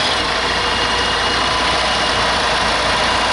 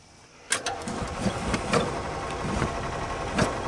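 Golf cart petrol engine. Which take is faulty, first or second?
second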